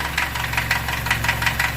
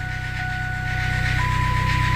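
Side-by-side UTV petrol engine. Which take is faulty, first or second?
first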